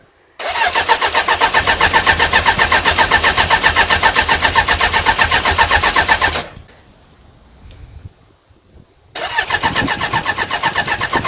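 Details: Suzuki GSX 600 motorcycle project after fitting a new switch: the starter spins the engine at a steady fast chug, about four beats a second, for several seconds without firing; pause, then same again. Cause suspected, not confirmed.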